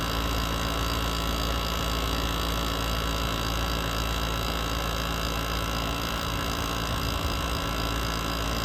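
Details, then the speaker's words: GE ASW05LKS1 R22 window air conditioner after head pressure built up, condenser at 163–166°F: low, strained hum with pulsing drone and wavering rattle from a labored compressor; owner suspects low refrigerant, not confirmed. "Listen to how unhappy that compressor is. This one should not sound like, so we're gonna give you a sound sample here."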